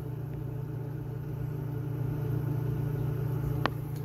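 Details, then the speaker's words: Old pop vending machine: low, steady compressor hum with an even pulse and no rattles or knocks while building pressure; lines hot and cold side ice cold, so the compressor is working normally. "Oh No sounds like compressors making this building pressure I can hear the typical compressor sounds those lines are hot that's ice cold down there"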